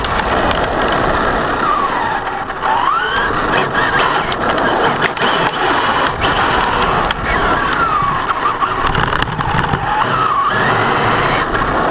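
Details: Brand-new Basher Nitro Circus 4x4 1/10 electric RC truck on 3S 4000mAh battery; harsh grinding with motor whine only when accelerating on the ground, not in reverse or off the ground; gear mesh adjusted without fixing it.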